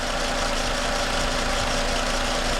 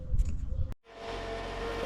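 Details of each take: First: 2010 Toyota Camry at idle after replacing the noisy alternator; smooth even low hum with no knocks, ticks or whine — normal idle. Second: 2010 Toyota Camry idling before alternator replacement; steady mid-pitched whine over the engine, with a burnt plastic, metal and rubber smell, so the alternator is being replaced — failing alternator.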